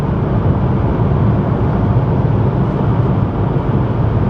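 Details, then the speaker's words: 1988 Chevy Cavalier Z24 at steady 65+ mph on cruise control: constant low road rumble, no whistle, rattles or surging; quiet cabin, no wind leaks, no check engine light, runs like a top. "and it's quiet and my feet are still nowhere near the gas or the brakes no joke no check engine light it runs like an absolute top"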